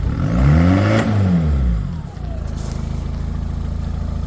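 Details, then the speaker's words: Talbot Express converted to Peugeot 2.0 HDI DW10RHY diesel, 20 psi boost, BMW R70 fuel pump, MR2 intercooler, tuned, stationary: winds up cleanly with smooth rise and fall, gains boost quickly, settles to even idle, no knocks; fuel pump audible. "Runs clean as anything. sounds pretty good, too. So, yeah, you see it gaining boost quickly, even though it's not running on the road."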